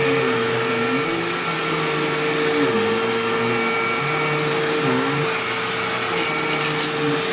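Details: Sharp Twin Energy vacuum cleaning living room: steady high whistle over the rush, drone wavering with strokes; owner notes whine faded after running a while and partly returned after shutoff, cause unknown.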